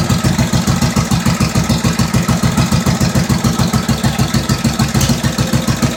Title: firing up the 1945 Indian Chief after rebuild